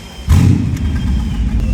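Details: Mercedes CLS63 AMG V8 after a rebuild, codes cleared (fan circuit open, pressure sensor short), fuel nearly empty. Catches and runs with a lumpy, uneven low rumble that stumbles irregularly. Cylinder one misfire.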